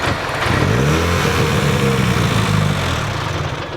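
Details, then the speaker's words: Drift car at the track, low oil pressure warning flashing and gauge at zero, no oil on the ground: light quick ticking about four per second over a rough engine; valvetrain tapping, dry head from oil starvation. "No oil pressure. Yeah, but It sounded like the head was dried up. Yeah, it sounded like the head was dry."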